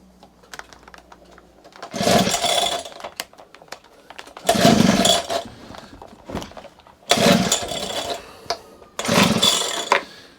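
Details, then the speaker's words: Honda HHH25 two-stroke hedge trimmer after fitting a replacement carburetor, before the hidden idle screw is set: four short bursts of revving, each dying within seconds. It won't tick over because the idle speed is set too low. "tick over work first off. That's what it's got to have, because it's not idling."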